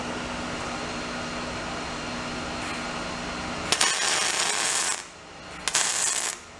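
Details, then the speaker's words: MIG welding with the shielding gas now turned on, after first welding without it. Two short bursts with a crisp, even frying-bacon crackle and no popping or sputter: a normal weld with proper gas flow. "you can hear the difference between what it sounds like with and without. Shielding gas."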